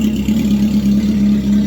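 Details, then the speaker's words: Home-built "Frankenstein" off-road sand car at startup: a loud, raw rumble at steady speed firing evenly with no misses or knocks. It runs well and everything seems to work, but it is loud enough for distant neighbors to hear. "and everything seems to work this thing is really really loud I've got Neighbors"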